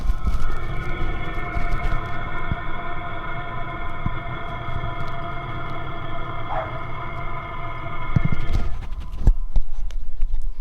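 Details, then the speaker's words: Diesel heater for truck camping or van life, heard from outside the vehicle while running and warming up: faint, steady whistle over a soft low hum, no knocks or sputter; quiet and inconspicuous, normal running. "So here's the sound that it makes while it's running. It's just a little bit of a whistle noise."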